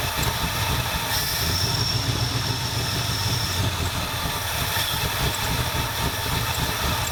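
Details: 1977 Ford F250 351M V8, Duraspark II, hot, after blocking off vacuum lines: low uneven loping idle that never settles; rough idle unresolved, owner later suspects dirty carburetor and fouled plugs.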